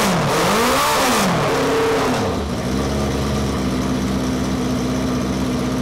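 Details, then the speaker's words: Café scrambler project bike first running in 21 years, after carb rebuild: loud raw bark with quick blips, then a hard rapping idle; exhaust open with the silencer insert removed. "so silencer type muffler type thing is removed"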